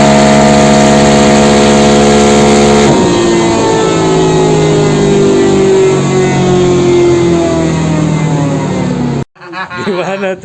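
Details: Yamaha NMAX bored up to 180cc with 34mm RPD throttle body, 140 injector replacing 125, valve clearance already corrected: engine pulls steadily and cleanly under load, no misses or popping, revs climb then cut off; AFR good, healthy.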